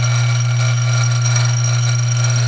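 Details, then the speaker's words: Dillon RF 100 auto primer feeder after fine-tuning the vibration adjustment about 1/8 turn with the top removed: even, steady low hum with no rattle, much smoother and quieter than before; normal operation. "Having a little feeding issue up here, but this is so much smoother than it was. It's actually quite a bit quieter as well."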